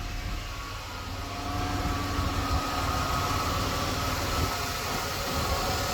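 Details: 2004 Buick 3.8 V6 idling after adding Marvel Mystery Oil: steady low hum, earlier engine ticking noise gone.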